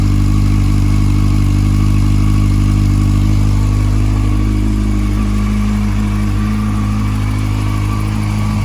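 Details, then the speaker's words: Honda CBF 600 N6 after engine replacement, first cold start: steady idle with a faint quick ticking puff on the exhaust beat; owner suspects a small leak at the headers. "it sounds like there's a little tiny leap from the headers there"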